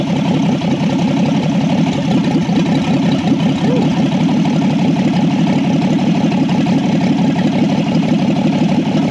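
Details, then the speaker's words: 1964 Ford Falcon inline six-cylinder, 3-speed column, off the road since about 1984, first run after revival: steady, even idle with smooth low rumble, no knocks; runs normally. "That sounds pretty good. I don't know who built that carburetor."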